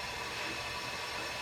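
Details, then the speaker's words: Engine off on a diesel truck, intake pressurised to 50 psi for a boost leak check: loud, steady rhythmless hiss of air rushing out through a large hole in the bent, damaged intercooler, so it won't hold pressure. "be able to pressurize it up a little bit the intercooler's got such a big hole and it won't even pressurize up"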